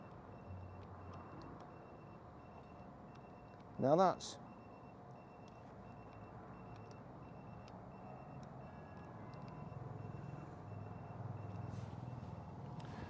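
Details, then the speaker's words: Citroen Ami with newly fitted tyre pressure monitoring system: steady string of short high-pitched beeps; low-pressure alarm, likely because rear tyres at 2.0 are below a 2.2 threshold set. "you'll hear that that's making a noise and the reason it's making a noise let's just go in front one's 2.1 the bottom one's two two"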